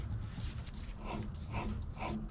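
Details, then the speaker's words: Mendeola 2D gearbox side-cover flange turned by hand during drive seal replacement; faint squeak about twice a second over a low rumble from a slightly noisy bearing. "you can hear this one makes a little bit of noise so since I'm going this deep into it I'm going to go ahead and replace the bearings"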